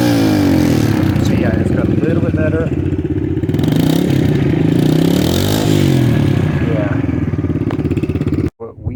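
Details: KLX 110 with stock carb, warm: single barks up and drops back cleanly when blipped, no stumble; normal healthy throttle response.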